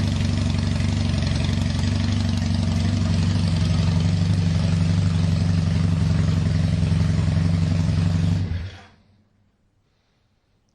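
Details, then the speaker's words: KZ440 single-carb motorcycle with erratic idle, before carb teardown and after fiddling with the idle screw: even thump on choke, then it fades and dies when the choke comes off. Owner suspects a clogged pilot jet. "dies when I take the choke off will she run it all with [Applause] this is Idol with the choke off I have a feeling like my pilot jet is clogged at least that's what I'm thinking because why would it be doing that"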